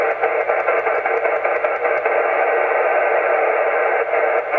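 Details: Heathkit SB-610 monitor scope connected by coax to an FT-857 transceiver: constant rushing hiss with scattered crackles and low hum, raising the noise floor and blocking all but strong signals; caused by a faulty tube socket.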